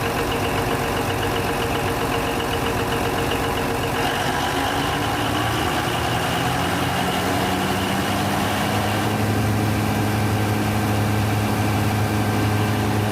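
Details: Denyo DCA610SPM diesel generator after the magnetic pickup wiring was checked, pickup 1.3–1.4 ohms: loud steady running with even low drone, no misses or knocks, settling into a smooth healthy idle.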